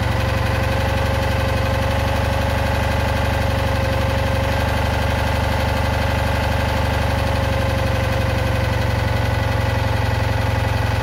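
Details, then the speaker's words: Citroën Ami 8 flat-twin, hot, coil warm: throbbing idle with an uneven beat and occasional dropped pulses; misfire the owner traces to a failed ignition condenser, with heavy points sparking and weak plug spark. "Bon, mais il a toujours ses trous, hein. J'ai trouvé la cause du condensateur. C'est sûr et certain que ça vient de lui."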